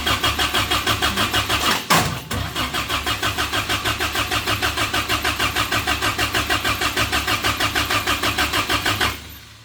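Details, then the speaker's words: Suzuki Samurai rock crawler engine newly converted to propane: starter spins about three even pulses a second for nine seconds, never fires; intake manifold bottom plate left off, no vacuum for the propane mixer. "so oh I'm an idiot I have the entire bottom of this manifold open I'm not getting the vacuum to activate this I can stick my hand in there so yeah that it takes vacuum to pull this and to make the propane go in and all everything I got's going out there"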